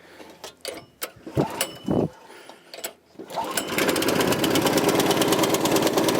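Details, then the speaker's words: 1984 Troy-Bilt tiller with a 6.5 HP 212cc Predator engine, after a replacement spark plug (two old plugs bad): a few knocks and pulls, then catches into a quick, even putter with steady firing; running fine. "was just a bad spark plug. 2 bad spark plugs. Sounds like it's running fine."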